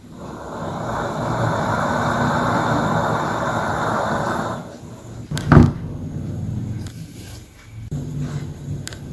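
A steady burner roar drops away, then one sharp pop with an after-rumble; the lamp is popping, cause unknown.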